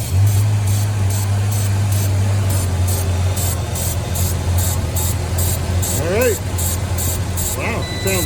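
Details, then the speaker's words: 1989 Ford Ranger revival, first start on a jump box with a homemade starter switch after a torn spark plug wire was rebuilt: low, even idle rumble with a steady pulse and no ticking or tapping; normal idle. "really good no ticking no nothing"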